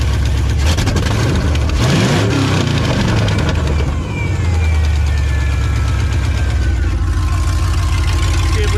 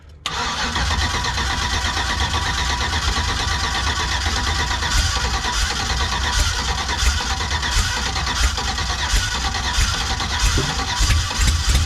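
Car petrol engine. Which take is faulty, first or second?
second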